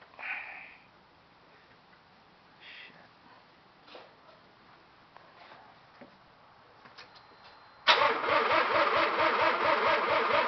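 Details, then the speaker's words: 1984 Mazda RX-7 GSL that ran fine the day before, fuses and fuel pump good, not flooded: starter cranks with a rhythmic whirr about two pulses a second but never catches; no spark. "okay well this is me trying to start my eighty-four rx-7 GSL I see I have no idea what's wrong there's no spark"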